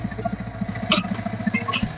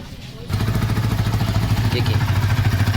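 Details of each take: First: Yamaha R15 V3 idling, camera near the engine: a fast hard rattle that quiets with the clutch pulled and gets loud on release. Cause: broken teeth on the balancer gear. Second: Yamaha R15 V3 after clutch noise repair, exhaust silencer broken in two pieces: engine fires up and settles into a steady, even idle; no clutch noise when pressing or releasing the clutch.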